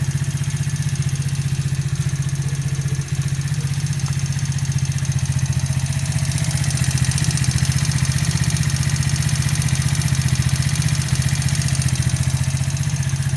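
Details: New engine at 200 km with valves adjusted to 0.05–0.07, steady low idle with a regular tapping knock around three per second; owner is asking for the cause, not yet found; engine knock.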